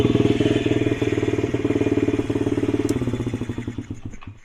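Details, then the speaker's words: Dump-find Honda CRF50 50cc, kick-started with choke on: the small single thumps at about four beats a second, then loses rhythm and fades, still revving oddly, cause not yet found; hanging idle. "Anyway, let's kick it over and see if it revs funny still."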